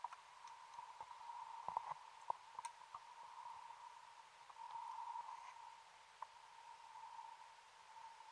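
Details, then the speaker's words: Rebreather oxygen cell warning at about 80 m inside the SS Afric wreck: a steady high alarm tone over bubbling. The cells read only marginally apart, so the diver cancels the alarm. "probably hear the alarm on my rebreather going off again I've had another look at the cells they're only marginally apart so I cancel the alarm with my thumb"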